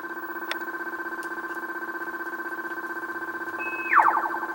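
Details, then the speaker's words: Taito Space Invaders 3 PCB stack, game audio during repair: pulsing game tones, then a falling shot sound repeating in overlapping echo-like copies; the warble effect has returned to the end of the shot fire, but the explosion sound is still missing. "hear that still no explosion it's added that warbling effect to the end of the shot fire so that was what was missing with that"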